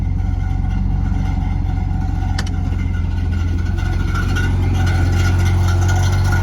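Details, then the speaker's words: 1970 Mercedes 280 SEL, engine running: regular clunk about three times a second after the power steering belt came off and the pulley came loose; a loose nut where the belt ran is hitting the fan, steering heavy. "So, we found a loose nut coming off where the belt was and it's actually hitting the fan."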